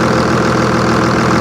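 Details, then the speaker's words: Old Cummins diesel truck at auction, no EGR cooler or particulate filter, hood open: fast, even, loud clatter and steady drone, no misses or knocks; noisy but healthy idle, runs great. "but damn is it loud and look at all the wiring going on under here man my goodness it runs great"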